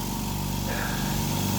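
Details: Air compressor, after the faulty non-return (one-way) valve was fixed and reconnected: fast, even piston chug with a steady motor hum rising slightly under load, pulling up pressure quickly; running normally.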